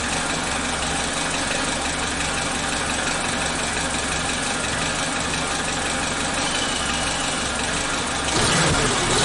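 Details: Suzuki Katana (Jimny) engine idling after timing belt and tensioner replacement and valve clearance adjustment (intake 0.15 mm, exhaust 0.20 mm cold): steady, even exhaust beat with no knocking or ticking; oil level mid-range; healthy idle.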